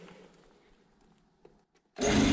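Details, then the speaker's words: DIY 3 kW air compressor built from parts, first start: the motor kicks in abruptly and runs loud and steady, reaching nearly 5 bar with no leak hiss; healthy. "sehän Nousi se toimii siellä on melkein viis baaria minkäänlaisia vuotoja ei kuulu"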